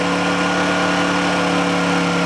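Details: Honda generator idling just after a cold start: a steady, even hum at a constant pitch with no surging, knocking or misfire, a normal healthy idle.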